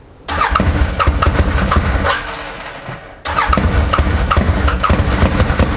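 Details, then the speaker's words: Salvage 2013 Arctic Cat Wildcat 1000 X at idle; spark plugs and fuel already replaced. Catches, stumbles and dies, then restarts to a lumpy idle with skipped beats, missing as if on one cylinder; smooths somewhat around 2,500–3,000 rpm, cause unknown. "so i've been trying for the last hour to get this thing going running just on idle um it seems to be missing like almost on one cylinder"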